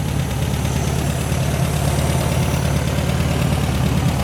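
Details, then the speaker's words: 1972 VW Super Beetle after sitting perhaps about a year, now running on tank fuel, smoke possibly residual: low, even idle rumble with a steady beat and no knocking or ticking; normal idle. "listen to her though i don't hear any knocking or nothing she sounds really good"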